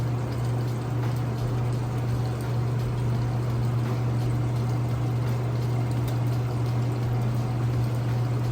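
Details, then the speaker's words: Crosley top-load washer on a regular cycle, warm/cold, super water level, in its neutral drain (tub not spinning, spin follows): steady low pump hum with water gurgling, no grinding or rattle. Drain pump working normally. "And I'm not gonna lift the lid up because this actually has a neutral drain cycle here where the tub is not spinning, but it is draining."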